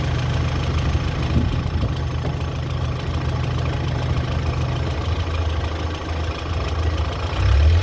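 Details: BMW E46 318i at idle: light quick ticking about four per second over a steady idle, still present after the lifters were replaced; cause unconfirmed.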